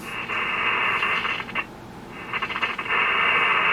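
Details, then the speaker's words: Yaesu FT-101B HF transceiver on 40 meters: receiver hiss cuts out and crackles back as the chassis is flexed after switch cleaning; intermittent receive dropout, suspected dirty board connections. "here kind of cutting out then we're not picking up nothing on 40 meters at the moment so hear that as i flex the chassis um so there is definitely a intermittent connection somewhere and it's probably in these uh boards"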